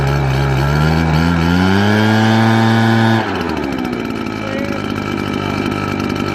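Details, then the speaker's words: RedMax RBZ8500 backpack leaf blower: revs climb, then the engine drops and runs rough, misfiring and bogging down; owner suspects spark plug buildup and replaces the NGK CMR7H plug with a crossover plug. "it's kind of like sounds likes misfire it's on one cylinder so"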